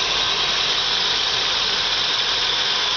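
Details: 1997 Holden VS Commodore, 3.8 L Ecotec V6 with EFI (multipoint), GM cold air intake, serpentine belt: steady, even warm idle with a smooth hiss and whir, no knocks or misses. Normal.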